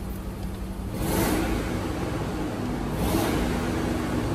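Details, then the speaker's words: Supercharged Range Rover L322 V8, bought cheap as-is, idling after codes cleared and MAF cleaned: uneven stumbling idle with two revs, rough running with misfires, a little smoke; owner suspects a real issue, also notes an exhaust leak. "yeah it still doesn't sound good what see a little bit of smoke so maybe there is a real issue"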